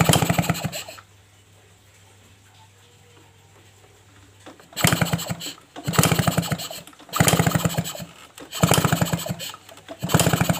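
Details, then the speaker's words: Suzuki RC motorcycle, hard to start (owner complains, worse in the morning): spark plug removed, five or six kick-start bursts that never fire and no visible spark; coil, stator or CDI suspected, coil wiring found messy. "Oke kita cek pengapiannya dulu di bagian busi kita engkol Oke apinya gak kelihatan ya teman-teman kayaknya gak ada apinya"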